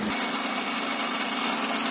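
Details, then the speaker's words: Honda Accord V6 idling just after its first start following engine reinstall and rear main seal replacement. Owner says it sounds good. Short, steady idle with an even hum and no knocks or misses; normal idle. "so there it is the engine is running right now probably have to feel sufficient real pressure going to run it sounds good"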